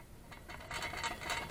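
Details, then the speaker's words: 1937 vintage fan running: uneven, clattering rattle with sharp ticks; owner suspects the loose blades and loose front knob, and plans to oil it. "lieve that's what's making the rattle noise where it's loose oh my goodness you should hear that one down there it sounds it's so loud"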